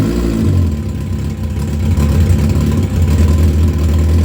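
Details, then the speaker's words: Motorcycle engine rebuilt with JE pistons and welded, resurfaced cylinder head with two new exhaust valves, cold started on its map: loud, deep, lumpy idle holds steady with an even pulse, no knocking or rattling; sounds good, oil pressure awesome. "So that's kind of the deal on it running. So it sounds good. Oil pressure is awesome."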